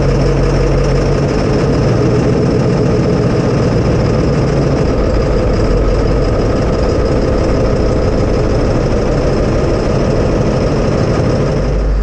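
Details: 1999 Ford F350, 7.3 Power Stroke diesel, after the ICP sensor was replaced and plugged in: a steady, deep rumble holding an even beat with no misses or knocks; running normally.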